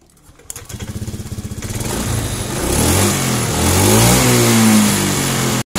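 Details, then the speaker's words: Honda Scoopy fuel-injected scooter, hesitates when throttled, spark plug cap replaced, TPS sensor being adjusted while running: blipped revs climb unevenly with stumbling, sputtering pickup, still hesitating before shifting TPS upward. "masih brebet ya kita coba geser tarik ke atas Sedikit nih"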